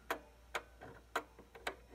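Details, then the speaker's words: 1800s clock, leveled but still pausing: after the verge is bent slightly, crisp ticks come with uneven gaps and one light beat, sounding weaker and worse. The verge is overbent and the escapement is out of beat. "you can still hear that pause so I'm going to bend this verge just a little bit the smallest bit little pressure kinda sounds weaker and worse"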